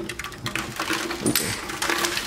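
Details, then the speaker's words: 1984 Honda Sabre VF700S fuel tank with pinholes, tipped and shaken: a gritty, loose sandy rattle of rust flakes inside; rust rattling inside the fuel tank. "Hear the rust on the inside. It's a shame that the tank is bad."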